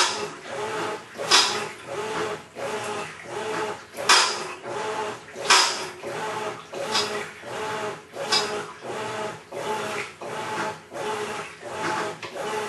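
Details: Maytag Centennial Commercial Technology washer, about 14 months old, overloaded for demo, wash cycle agitation after filling: harsh gritty grinding swells each agitator stroke, ~40 a minute, like grinding gravel; drive or transmission fault suspected, unconfirmed.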